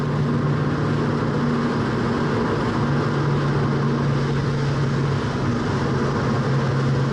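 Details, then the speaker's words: 1966 Mustang cruising on the road: steady low hum over road rumble from the rear differential, growing louder as it warms up; rear axle noise increasing when warm. "okay just be a nice casual driver as I go by you can really hear the differential getting louder and louder as warmer it"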